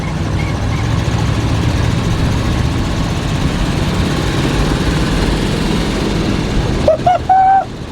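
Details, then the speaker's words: 1976 GMC Vandura 3500 motorhome V8, cold carburetor, under way: deep, steady low rumble with no exhaust puffing or ticking. It sounds smooth and quiet; normal running. "Now, you hear how smooth that's running? Won't push it yet. Again, carburetor's cold. Well, she seems good in the driveway. Strong. Wow, I can't believe she's so quiet."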